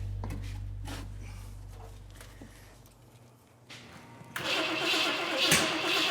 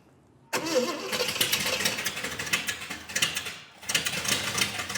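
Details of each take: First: 454 V8 newly installed in 1951 Henry J, spark plug wire contacts fixed: starter spins engine steadily at about two turns a second but it never catches; distributor cap found turning counterclockwise, distributor installed for the wrong rotation. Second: 454 V8 in 1951 Henry J: starter catches and engine fires straight up into a steady run with no misses, healthy start.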